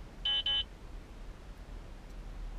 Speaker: as you can hear no voice announcement just two beeps and then totally silent